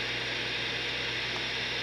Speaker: with the volume turned all the way down. No signal, just a dead antenna. You hear that white noise? In my opinion, there shouldn't be anything.